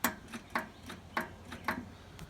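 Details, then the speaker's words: Riding lawn mower, key turned: sharp repeated clicks, about three a second, with no cranking. Solenoid clicking points to the starter solenoid as the likely culprit, to be tested and replaced with a universal solenoid. "alright so we can we turn the key over we hear the solenoid clicking which indicates that that's most likely the culprit here"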